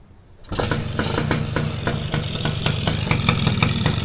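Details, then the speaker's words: Yamaha SS two-stroke with original carburetor, started after tightening screws: fires up and settles into an even, crisp popping idle with steady rhythm; engine smooth and healthy. "Smooth enjin. Enjin dia memang smooth je. Timing dia korang dengar."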